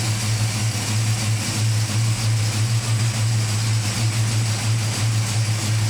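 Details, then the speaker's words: Home-rebuilt Ford 302 small-block V8, first start, not driven: deep steady even rumble with no knocks, ticks or misses, runs well; oil sender not leaking. "I sounds good our oil sender isn't leaking anything"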